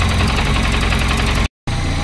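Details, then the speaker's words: Peugeot 205 freshly rebuilt engine, first start after setting firing order 1-3-4-2 with ignition timing only roughly set: uneven, lumpy idle with irregular low thumps and a wavering beat; running poorly, timing still to adjust. "l'allumage est calée au vif et le rien n'est rien n'est calé il a démarré on sent que t'es pas bien"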